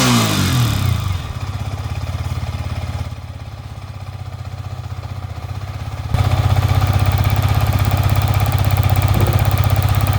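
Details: Yamaha MT-15 (FZ version 4 type) just started after fitting an ignition (ST) coil to cure stalling and no-start: fires and settles into an even regular low thump, steady as throttle is nudged; normal running.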